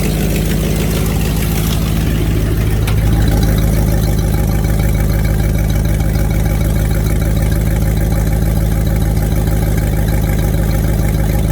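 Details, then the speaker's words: Ford Foxbody Mustang V8 with eBay twin turbo kit, just fitted new injectors; initially misfired badly (likely dirty), now deep even burble after throttle blip, running on all eight cylinders with no stumble. "i've wrapped it up a few times and it seems to be running on all 8 right now"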